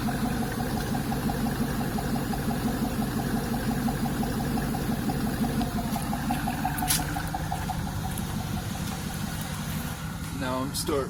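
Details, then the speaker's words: LT1 F-body V8 after coolant bypass mod and 58mm throttle body install; first started running high near 3,000 rpm, now settled: smooth, even idle with steady low rumble, no misses or knocks, no check engine lights. "Now it sits right here in the beautiful sweet spot, as you can see. And of course, everything's looking gravy. No check engine lights. Hear how my car's running."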